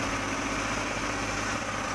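Steady, even hum with no misses or ticking, a smooth settled idle from a healthy petrol engine.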